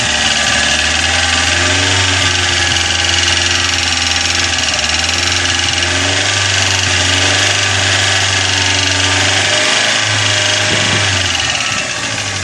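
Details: Corsa engine idling with a fast, fairly even top-end tapping from hydraulic lifters slow to pump up, because a dirty oil pickup in the sump restricts oil supply.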